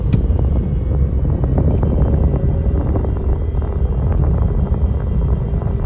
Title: Car broken power steering grinding sound #car #grinding #carnoise